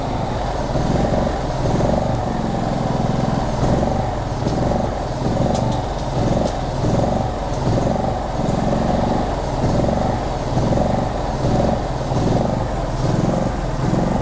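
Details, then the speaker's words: Generac GP3300i (model G0071532) generator that won't shut off: the small engine drones with a slow once-a-second rise and fall and keeps running after switch-off; the switch tested good, and the igniter circuit connector was loose and not clipped down. "so it's running that should go solid so everything's good but now when I go to turn this off it doesn't want to stop"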